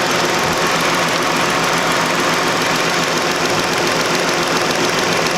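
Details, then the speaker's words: 2008 Chrysler 300 2.7 V6 idling, misfire codes for cylinders 2 and 3; fast light injector clicking heard via screwdriver on injectors, cylinder 2 seems more rapid; vacuum leak provisionally ruled out by smoke test. "Now I definitely do hear clicking from all 3 of the cylinders. The cylinder 2 seems more rapid, so I'm not sure what that means."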